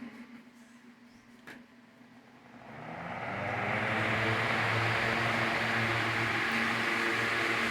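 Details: Fan after motor rewinding: a quiet start, then the fan spins up into a smooth, steady rush of air with a low even hum; earlier loud noise and slow speed are gone, now running normally.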